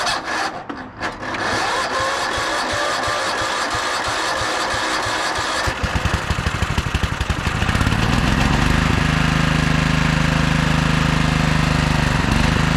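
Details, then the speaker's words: 1997 Craftsman II 30-inch rear-engine rider with 13.5 hp Tecumseh engine, after electrical no-crank repair; rough start settles into steady even putter with low hum; normal running. "but yeah we have a good runner and I'd imagine this thing would drive just fine"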